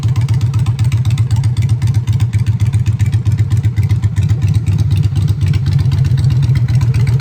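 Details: Honda Shadow V-twin with new custom exhaust pipes, on choke in neutral: deep, steady loping idle with loud exhaust beat about four per second, even and unbroken; normal healthy idle.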